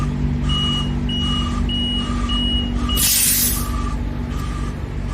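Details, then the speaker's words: Self-serve tire inflator at an Australian petrol station, set to 34: two-pitch beeps repeating about four times a second with a short burst of air hiss; the tone signals inflation done, or sometimes an error. "Yeah, it's taking air, at least this one is, and you'll hear a tone when it's done. Do you hear that? That means it's done."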